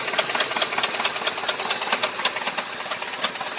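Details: 2005 Ford F-150 with 334,000 miles running with a sharp, fairly steady knock about two per second over a hissy top end; bad bottom-end motor knock, cause unknown.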